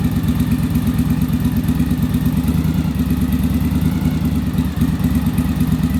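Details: Yamaha Virago V-twin after bench and on-engine manometer carburettor sync: an even, lumpy idle at about three beats a second, no misses or hunting, smoother idle.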